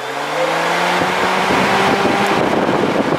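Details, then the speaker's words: BMW 3 Series electric radiator fan runs constantly with the car off, a steady whirring hum and airflow, because prior odd rewiring joined brown to brown; the planned fix is a switch inside the car. "fan stays on the car is off but the fast stays on so that's what we're gonna fix"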